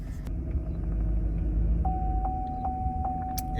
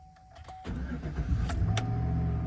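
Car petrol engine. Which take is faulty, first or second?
first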